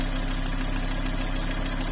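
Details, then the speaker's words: Hot used-car engine at idle with a loud, rapid, steady clac-clac knock; something is clearly knocking, and the advice is to stop the engine immediately. Sounds like a rod knock. "les clac clac clac clac clac du ralenti sont très très élevés il y a forcément quelque chose qui cogne vous l'entendez vraiment bien"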